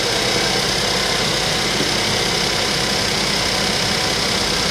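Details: Suzuki Vitara three-cylinder that earlier would not start with the key, owner suspects sabotage: loud, uneven idle with stumbling irregular beats and a harsh rattly edge, cause not found; engine misfire at idle.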